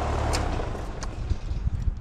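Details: Outdoor AC condenser compressor buzzing loudly with heavy low hum and dull thumps, locked rotor: fan motor and capacitor checked fine, inrush 90 A against 77 A locked-rotor rating (RLA 14); hard start judged pointless.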